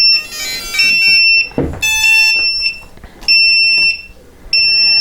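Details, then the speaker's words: Upair One 2K quadcopter transmitter powered by a weak 2200 mAh 3-cell 11.1 V battery: shrill high-pitched beep repeating about four times in five seconds, the low-battery warning to change the battery. "the transmitter is beeping it's letting you know that the battery is low and you need to change it"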